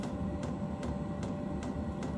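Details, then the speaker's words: Diesel heater starting up after priming, battery voltage around 11.2–11.9 V: soft fan hum with a steady fuel pump click about every 0.4 seconds as it fires and winds up. Normal startup. "She's here firing up now. Winding up."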